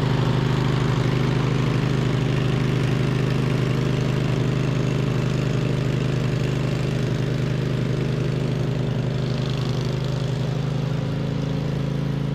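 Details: 2007 MTD/White Outdoors 54-inch zero-turn mower, twin-cylinder, after repairs with charging fixed: deep, steady drone with an even beat held throughout while cutting; engine sounds healthy; normal running.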